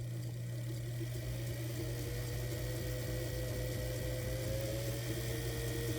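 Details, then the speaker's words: Singer 328K sewing machine motor on an adjusted bakelite pedal: the steady hum climbs smoothly as the disc stack is compressed further, with no catching or surging. Speed control now works after bending the copper plates back. "So as I begin to compress those discs, we'll hear the motor. And as I compress them further,"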